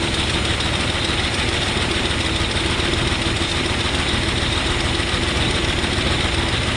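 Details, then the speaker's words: 1970 GMC 2WD longbed pickup, small-block Chevy V8, first start after 20 years in a junkyard, fuel line cut and carburetor primed: runs loud and steady with an even beat, caught quickly without stumbling; likely needs carb kit and tune-up. Normal running. "too bad for being off the road for 20 years i'm sure it's gonna need a carb kit and a tune-up so on and so forth but small black chevy they just run they just wanna run"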